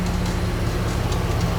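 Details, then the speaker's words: Engine running with the AC on; the noise appears when the AC is on. Steady low drone and hum that goes away when a bar presses on the belt tensioner and returns when released; bad tensioner, tensioner and belt replacement recommended. "I assumed that it was the tensioner. So to test that, I'm gonna put it down right here and put pressure on it. Hold on. See, now it went away."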